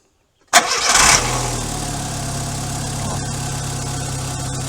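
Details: Starter cranking on a car after a do-it-yourself fix, lubricating a starter that used to growl after the key was turned: a short clean crank with no growl or grinding, then the engine catches and settles into a steady idle.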